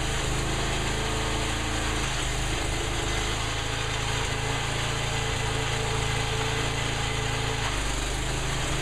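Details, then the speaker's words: Sears Custom 7 mud mower / off-road go-kart, small single-cylinder engine running hard under load while moving forward and back; wavering speed with mild surging and occasional sputtering, though it runs fairly sound. "runs a little bit of surging a little bit of sputtering but seems to run pretty sound and moved forward and back"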